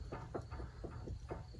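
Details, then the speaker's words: Toyota MR2 Turbo, underside inspection, front wheel rocked by hand: sharp, irregular clicks every quarter to half second, heard toward the middle of the car. Suspected play in steering rack, tie rod ends or wheel bearings; not confirmed. "also sounds like a click like almost like the steering rack okay but if you have a little bit of play in it"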